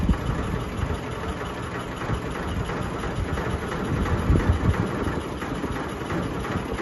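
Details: Sony ceiling fan, 2022 model, at full speed: deep, uneven droning rumble with loose rhythmic throbbing, wobbling and vibrating badly, cause unclear. Ceiling fan wobble and vibration.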